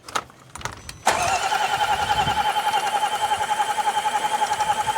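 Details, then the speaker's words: 2018 Range Rover Velar from auction, crank no start after battery died, scope on back-probed control wire: starter whines steadily, about three and a half compression pulses a second, never catches; valve opening looks wrong, timing problem. "The valve opening on this thing does not look good at all. Crank it again. Okay. Yeah, this is a timing issue."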